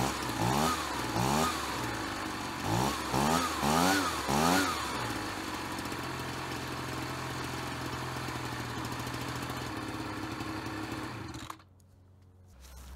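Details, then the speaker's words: Ryobi BP42 backpack leaf blower two-stroke, 4 years old, after repairing no-spark, replacing and tuning the carburetor, and redoing the fuel lines: sharp throttle blips falling back cleanly to a steady, even idle before shutoff; normal running. "so the engines all set carburetors dialed in we obviously we have ignition fuel lines are all set"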